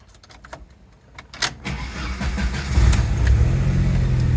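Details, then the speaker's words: 1986 Jeep Comanche, 4-cylinder with 4-speed manual, about 129,000–130,000 miles, original keys: brief crank, catches quickly and settles into a smooth, even low rumble; still runs fine, normal engine start. "It's got, 129, about to hit 130,000 miles, but it still runs just fine, and that's great,"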